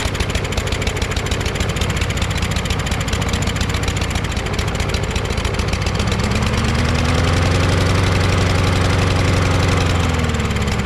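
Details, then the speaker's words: Craftsman push mower with a Briggs 550EX engine, started on the first pull with the choke flap not moving. Uneven single-cylinder beat that settles and climbs in pitch: better than before but still rough, and the owner suspects the carburetor. "Running a lot better than that other day, you know what I mean? There's something strange about that carburetor though."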